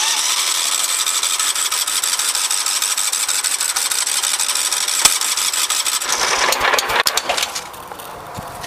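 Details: 17.5HP Kohler engine, 347.7 hours, regularly maintained every 25 hours and previously repaired: starter whirs and chugs steadily at about three turns per second for six seconds, never catching; cranks but won't start.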